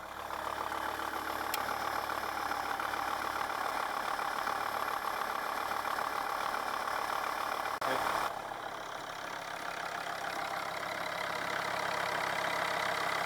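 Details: Volvo V50 D5 diesel, first start after replacing the faulty alternator freewheel pulley (sprag clutch): steady, even idle with no knocking, squealing or chirping from the front of the engine; runs smooth and healthy.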